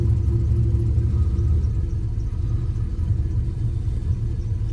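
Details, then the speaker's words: 6.0 LS-swapped Cateye Chevy truck on Holley Terminator X, after startup into closed-loop learning: deep, uneven loping idle, very rich with fuel smoke, needs idle tuning; cleans up when revved. Rough rich idle. "it's a little rough you can hear it it's definitely a little rough on the idol it's very rich it needs some serious help on uh on the idle tune"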